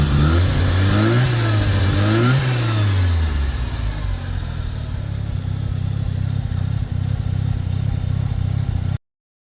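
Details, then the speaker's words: Turbo Mazda RX-7 rotary at first startup after engine install with a self-made TIG-welded exhaust, running rich: throttle blips then a steady, choppy rotary idle, fairly soft exhaust, much quieter than before, no leak ticking. "it's not very loud much quter than it used to be"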